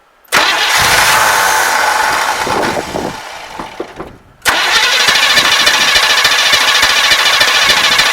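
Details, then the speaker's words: 1974 Chevrolet Custom Deluxe 3/4-ton pickup, sat for years, first start attempt: starter spins with even compression pulses, stops, cranks again without catching; no fuel reaching the carburetor, probably none from the tank, fuel starvation. "Well, there's nothing there yet, so probably not getting any from the tank."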